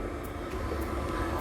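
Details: Mains-powered diesel workshop heater with pump and controller, intake under a noise-dampening cover, tested on a not particularly cold day: steady, even whooshing roar with no knocks or surging; running smoothly.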